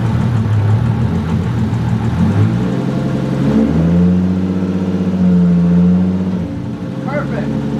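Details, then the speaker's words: Freshly rebuilt forged 1.5JZ engine, first start after priming oil pressure, coolant not yet bled: fires and settles to a steady even note, swelling with a throttle blip; no knocks or ticks. "camera died on the iphone now but it's running pretty good i'm gonna get up the temp jack it up get the highest point bleed the coolant should be good then check oil but uh sounds great so far very happy with it"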